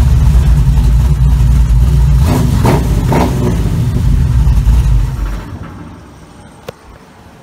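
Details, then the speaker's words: 1936 Chevy coupe on a road test drive after a gas pedal install: deep, even engine rumble under way that eases off and fades, with no knocks or misses; normal running, though the brakes are too soft. "car sounds good though"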